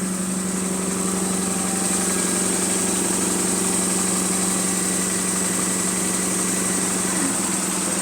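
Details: GAL E122 bus on route 486: steady diesel idle with a faint rhythmic puffing tick, about three per second, from a slight exhaust leak.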